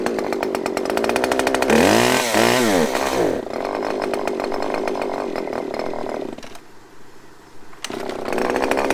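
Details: Husqvarna chainsaw that the previous owner said needed carb work, started on choke with limiter-capped adjustment screws. It has a raspy buzz with revs surging and sagging unevenly; it runs but seems to need tuning.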